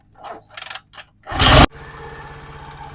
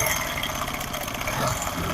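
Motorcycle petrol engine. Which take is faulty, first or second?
second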